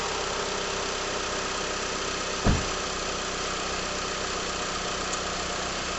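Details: 2001 Mitsubishi Galant GLX SE 2.0L started after an air filter replacement and throttle body cleaning with carb cleaner. A brief catch, then a steady, even idle with no stumble or misfire. Normal start and idle.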